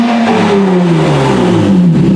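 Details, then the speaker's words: 2007 Honda Odyssey 3.5 V6 towed in with no power, after an Italian tune-up fix: engine revs climb cleanly with smooth rising pitch, VTEC pulling freely without bogging; now running properly. "well the old italian tune-up wins again folks there she is uh we could hear the v-tech ripping now"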